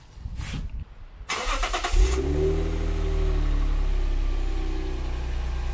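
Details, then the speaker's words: Lexus IS200 just after fitting a replacement rear muffler: engine cranks, catches and settles into a smooth, deep, even idle with no rattles or exhaust leaks. Normal exhaust sound. "It's time to start the car and see how it sounds now"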